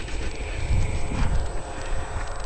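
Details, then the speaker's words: Rebuilt motorcycle "Dot" on its first ride after the rebuild, ticking over poorly: idle thumps unevenly, loping with irregular gaps and surges; the neutral light is also not working. Rough idle. "she's not ticking over very well"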